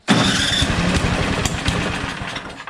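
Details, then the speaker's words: 1973 John Deere 726 snowblower, newly acquired, tried at various throttle settings. It fires and catches at once, runs ragged, then stumbles and dies within seconds. Owner suspects fuel starvation from a clogged tank or fuel line; not confirmed. "it'll run and then I'll stop and so I think that it's just a fuel problem"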